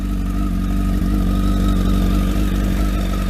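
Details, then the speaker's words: Stone-cold start on a freezing January morning: starts straight away into a strong, steady low exhaust beat with even firing, no knocks or rattles; normal cold start and idle. "Let's see if it'll start. Look at that. Starts straight away, and it's fucking."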